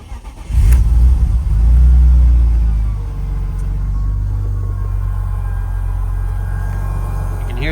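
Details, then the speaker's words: BMW E36 after a fuel leak repair: the fuel pump is working and no leaks are seen. A short crank catches quickly, a brief rev, then a steady, even idle with a faint pump hum; normal start and idle. "But that's a really good sign. It's already running. Everything's good realistically."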